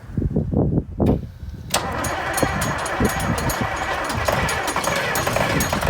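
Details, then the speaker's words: Massey Ferguson 1155 tractor diesel after priming electric fuel pump and getting fuel to filters: a few slow cranking pulses, then catches and settles into a steady, even idle with no odd knocks; good oil pressure, sounds fine. "That thing just sounds like it's ready to get don't sound too bad. I got good oil pressure. Hell yeah. That's not bad at all."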